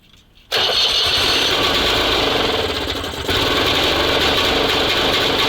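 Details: SMZ invalid carriage (motorized microcar) after long storage, timing reset about 2 mm before TDC and oil added under piston: short crank, then catches into a fast, even buzzing run with no misses or knocks; normal running.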